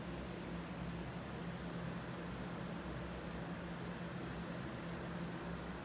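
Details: Emerson Strato-Jet ceiling fan, new in box, on full high power after a quick spin-up: smooth rush of air over a low even hum, no ticking, though it shakes a little; moves a tremendous amount of air, normal running.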